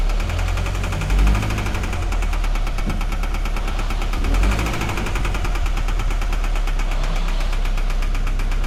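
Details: 2013 Scion FR-S at idle, customer complaint of knocking: fast steady knock keeping pace with the engine over a heavy low rumble; cylinder 4 misfire found, teardown advised, internal damage suspected.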